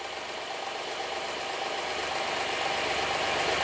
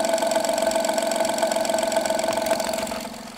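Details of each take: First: Honda Pilot III (2016) J30A9 engine after timing belt tensioner replacement: even, steady idle with smooth hiss, no knock or tapping; tensioner no longer jumps; engine sounds healthy. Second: Honda Pilot III (2016) J30A9 engine, cold start idle: strong, fairly regular sharp knock around four per second, fully gone after 2–3 minutes of running, returns after 3–4 hours parked; mic on improvised probe; cause: failing timing belt tensioner.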